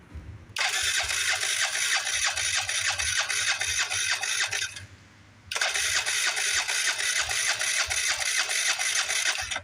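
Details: 2018 Wolf RX50 scooter on jump box; two bursts of fast even starter cranking about three turns a second with faint firing pops, never catches; owner suspects bad old fuel in tank.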